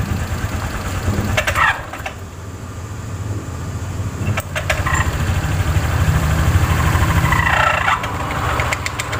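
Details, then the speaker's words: Automatic scooter CVT at idle: rough clattering knock with gritty grinding, about three beats a second, from a damaged drive belt and failed rear pulley bearing caused by a worn roller housing. "suaranya mengerikan sekali di bagian sini"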